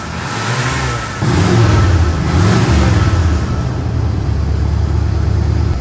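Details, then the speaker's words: 1981 Chevrolet Corvette Turbo V8 barn find driving on road after new spark plugs, oil and filters; deep even rumble climbing cleanly with throttle, no misses or knocks; runs well, radiator still needs replacing; normal engine revving while driving. "okay guys she's driving awesome this is something that can already check mark"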